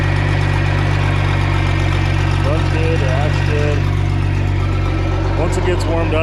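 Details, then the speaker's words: 1992 Bayliner boat V6 on a water hose, starts quickly, oil pressure almost 70 psi: deep steady drone, level throughout with no knocks, surges or stumbles; normal running. "Start it up. Starts up quick. Runs real good. Sounds real good."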